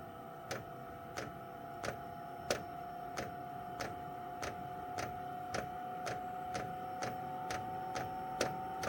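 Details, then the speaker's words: Chinese 12 V diesel heater being set up in a caravan, fed kerosene, priming by holding two panel buttons: sharp, even ticks about one and a half per second over a faint steady fan hum; dosing pump priming normally. "There we go, so that's priming. You just hear that noise."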